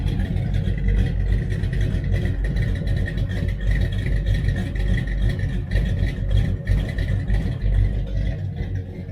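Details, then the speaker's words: 1966 Dodge Charger 383 V8, big cam, heads, headers, Holley 4150 carb being tuned: deep loping idle with cam lope, no knocks or misses; slightly rich at idle, to be leaned out. "it's a touch rich and idle i think i'm going to try to lean it out just a little bit"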